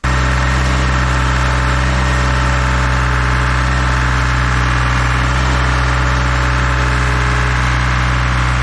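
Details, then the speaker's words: Dual drum vibratory roller diesel engine at idle, just started to warm up after new filters and hand-pumped hydraulic oil refill (slightly over full line), watched for leaks; even steady low drone, no misses, knocks or surging: normal idle. "We're gonna turn it on, let it warm up. Just let it sit at idle before we attempt to do anything with it."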